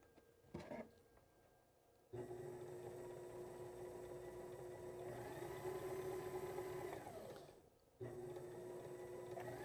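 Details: Sailrite sewing machine with 110 V Worker Bee Power Pack on a pure sine wave inverter: steady even-speed motor hum, clean whir, no labouring or stutter; works perfectly.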